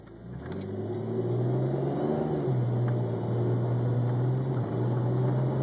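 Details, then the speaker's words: BMW E46 automatic on cold start: engine note climbs from a stop but dips and stumbles twice instead of rising smoothly, idle fine; cause found to be very low transmission fluid, about 3 quarts short. "as you can hear it kind of dip and jump and go from accelerating smooth to, you know, kind of dropping down in RPMs."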